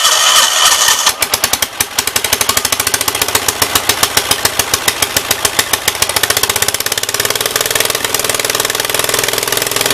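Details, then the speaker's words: 1976 Gravely 816 with a faulty choke: cranks and catches into fast, uneven chuffing that labours and fades out as the choke goes fully closed and chokes it out; owner still suspects a stuck left-side valve. "This choke not working is really cramping my style. This air just went full on and choked it out."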